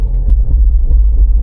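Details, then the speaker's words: Range Rover Evoque after replacing bone-dry rear diff and sludged Haldex pump: heavy low rumble with repeated dull thumps and judder from the rear when turning slowly around a corner, like back end falling off; clunking persists, cause not found. "I can hear it straight away again there. Now clunging away."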